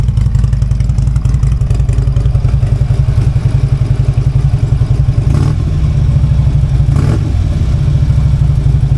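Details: Harley-Davidson V-twin cold start after sitting several days, before fitting new breather and FP4 tune: deep, loping idle with steady even beat near 220 a minute, no knocks or rattles; healthy.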